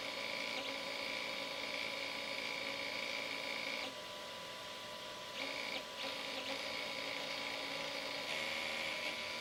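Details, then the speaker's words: Flying Bear P902 3D printer stepper motor with its driver potentiometer turned too high; thin high-pitched whine with irregular clicks as the motor skips from excessive driver current, fixed by turning the potentiometer back down. "that's too strong see it starting to click you hear that click so that's bad they don't want they don't like that"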